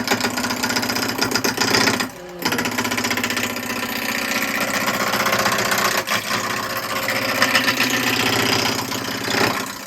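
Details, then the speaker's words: Turning a spalted-wood vase blank at slow lathe speed (about 800–900 RPM). The piece wobbles and shakes, giving a rapid, rough, buzzing chatter with uneven rhythm and breaks between passes; the cut sounds and feels bad. "what you can see what you're getting all these chips doesn't sound nice doesn't feel nice"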